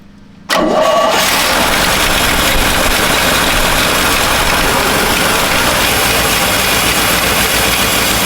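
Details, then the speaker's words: 1970 Chevy C-40 mechanics truck, sat 15+ years, started after hooking up green ignition wire: brief crank, quick catch, steady even run with no knocks or misses; normal start, though radiator found leaking. "That opens up good. That thing sounds good. It does."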